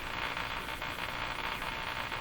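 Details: Eatons Electrohome floorstanding tube radio after replacing its last two original wax capacitors: constant low mains hum under a steady hiss of static with no station coming through; the output is noisy.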